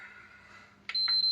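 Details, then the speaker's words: PS5 after repair, reassembled and powered on: quiet hum then one short high beep, fan spins up normally; console powers on normally. "all right we have a beep please come on get in do we get a fan spin I mean Yep this spins up lovely oh my God"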